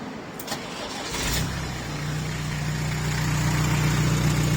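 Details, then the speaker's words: Iveco Daily diesel van, after sudden extra noise going flat out up a hill: cranks, catches, settles into loud, rough, even low idle rumble; owner thinks there's an exhaust blow. "I think there's a blow in it."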